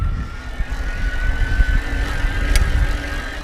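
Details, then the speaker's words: Trek Super Commuter+ 8S e-bike, Bosch mid-drive motor in Eco assist, climbing a hill in very low gear at high pedaling cadence: thin steady whine over wind rumble; ordinary drive-unit noise, nothing wrong. "you can hear the whining I talked about part of that's cuz I'm in a really low gear my pedaling RPM is very high"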